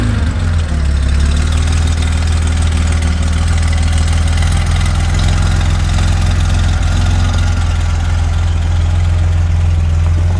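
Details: Garage-find Porsche 911 flat-six after sitting a long time, new OEM spark plug leads fitted, oil primed by cranking before firing: deep, steady idle with an even low beat and no misses or knocks; sounds healthy and settled.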